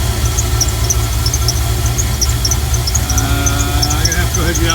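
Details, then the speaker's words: Ethyl at idle after new idler pulley installed: sharp high chirps about twice a second over heavy idle rumble; belt drive still chirping, owner suspects AC compressor clutch after listening with makeshift stethoscope. "redneck step stethoscope and see if i can figure it out it almost sounds like it's coming from the air conditioning compressor clutch of all things"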